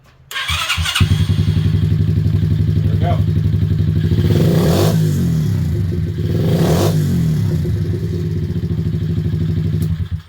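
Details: 2021 Kayo 90 pit bike after a valve adjustment raised compression from 40 to 140 psi: it catches within a second, then a steady, even single-cylinder thump with a couple of throttle blips, running healthy and firing cleanly.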